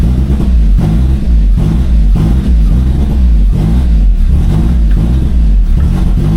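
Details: Turbo Corolla after a new fuel pump with the intake reattached and no check engine lights: a deep, steady low idle, slightly lumpy and still settling. Normal idle.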